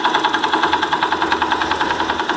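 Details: Yamaha Factor/YBR 125 at steady idle with a fast, even rattle over the engine beat that goes away at higher revs; loose bolts on the starter one-way (directional) clutch rattling at idle.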